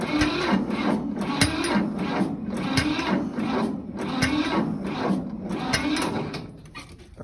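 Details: Diesel equipment-yard tractor on a cold start around 60°F, boosted from a NOCO Boost battery pack, with glow plugs used: the starter churns steadily at about three compression strokes a second, but the engine never catches; it cranks without firing.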